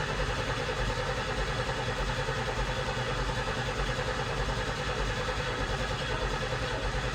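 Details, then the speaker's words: 1990 Pontiac 6000 SE AWD sitting 20+ years, first start attempt: even starter churning about 100 beats a minute for seven seconds, never catches; cranks fine but no fuel pressure. "Survey says no. Hmm. All right, let's see if it has spark."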